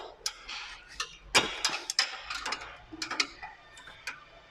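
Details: Renault Megane 2: sharp, uneven ticks from the front as the steering is turned, a known chronic fault traced to a worn steering rack bushing, replaced with a new bushing.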